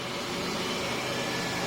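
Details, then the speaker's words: 1997 Pontiac Grand Prix GTP, supercharged 3.8L L67 V6, idling after water pump replacement: steady even idle, smooth belt and fan hiss, no knocks, ticks, misses or leaks; runs normally. "But yeah, she runs, sounds good."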